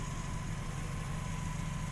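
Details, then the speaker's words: Triumph Stag Mk2 with a freshly built V8 being run in at 124 miles; deep, even burble holding steady with no knocks, ticks or misses, running smoothly. "Listen to this awesome sound. Oh yes. That's amazingly smooth, isn't it? Quite lovely, isn't it, bud?"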